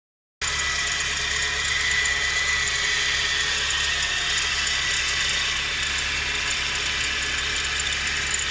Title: 4G13 strange whining sound.